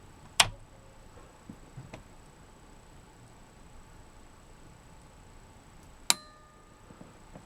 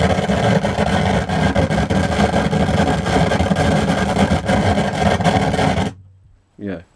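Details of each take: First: Pioneer SA-8800 Mk2 amplifier after protection-circuit repair: quiet room, then one crisp click seconds after power-on as speaker protection relay pulls in on its delay, as it should. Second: Pioneer SA-8800 Mk2 amplifier after recapping and protection circuit repair: harsh irregular crackling and popping through the speakers; suspected faulty transistors in one power amplifier, not confirmed.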